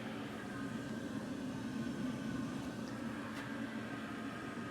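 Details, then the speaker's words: WoodMaster 4400 outdoor wood boiler at first fire-up of the season, water jacket topped off: the draft blower fan, switched on to force air into the fire, gives a steady whirring hum and even airy rush with no rattle or wobble; running normally. "the fan inside here is now forcing air into the fire and it's really going to get it going"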